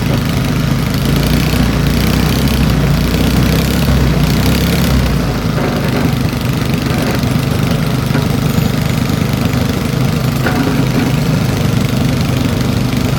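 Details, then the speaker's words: Old Briggs & Stratton single-cylinder engine salvaged from trash, warming up: steady even idle, dipping lower as idle screw is backed out, then settling smoothly; runs normally. "see how low it'll go backing out the idle screw there it is right there"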